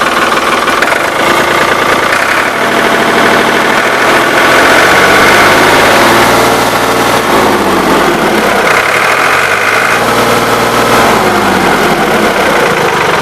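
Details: Ford 3910 diesel tractor, new muffler and injection pump throttle shaft O-rings fitted: steady diesel clatter at idle, revving up and settling back smoothly twice with no misses or heavy knocks. Normal idle.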